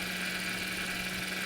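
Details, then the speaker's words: Mercedes SLK with 3.6 liter VVT engine at idle, hood open: steady buzzing from up front under the hood with constant engine note; traction control and stability service lights on, owner wonders whether power steering pump; source unconfirmed. "We have a weird buzzing sound from up front under the hood."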